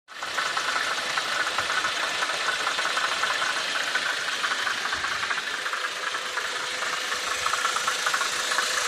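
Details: VW Passat B5.5 1.8T 110 kW with a light, rapid ticking knock at idle, steady with no rev change. Source unknown.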